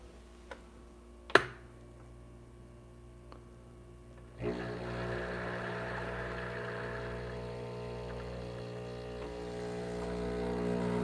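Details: Breville Barista Pro pulling a shot at grind setting 11, about 42 g in 30 seconds: a few clicks, then a steady buzzing hum through the shot with no rattling or straining; pump operating normally.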